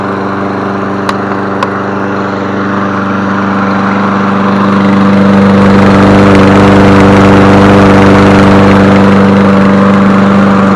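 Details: Toro 22-inch Recycler mower, small single-cylinder engine, after reassembly and refuelling: steady, even hum with constant pitch that picks up slightly and holds smooth; runs healthy.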